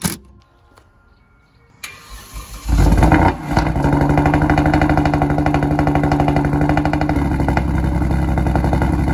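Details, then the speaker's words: Rebuilt wrecked Kia Stinger GT2 with loud aftermarket exhaust: loud, uneven pulsing rough run about three beats a second; cause was a boost leak from plastic in the throttle body, ran smooth after fix. "sounds awful sounds a little whack"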